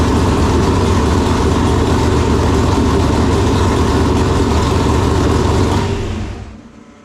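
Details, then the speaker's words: Chevelle with newly installed 568 big-block Chevrolet and Jerico 4-speed, first runs, not yet warm, during timing check (about 35 degrees); fast, lumpy idle with steady deep rumble and even beat, then cut off; normal running. "Sounds good. I mean, it'll sound better when it's warm, but definitely sounds good."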